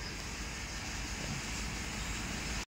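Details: Montero 4N15 diesel after throttle body replacement and clearing fault code P0638, no check engine light: steady, even idle with a smooth low drone and no clicking or rough noise. Normal idle.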